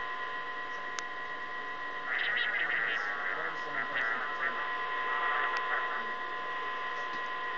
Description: Every so often, I keep hearing these noises from my baby monitor. However I'm not sure what it is.